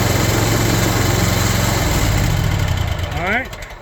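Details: Kawasaki FX850V mower engine after new Denso starter installed (old one only clicked): steady low cranking thrum settles into an even running beat, then shut off; starts cleanly.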